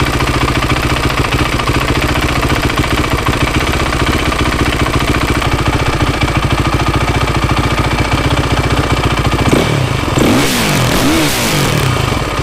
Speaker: the engine sounds much quieter now I think it's this is a normal Y Z 450 sound that old timing chain was garbage